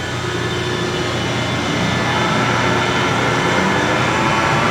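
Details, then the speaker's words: F12-090 hydraulic motor torn down and reassembled, run with no load at over 3,000 RPM. It is reversed to check both directions. Steady, even high-speed whir with no squeal in either direction; runs normally. "I don't hear it sqeauling. Try it the other way? All right. No noise that direction."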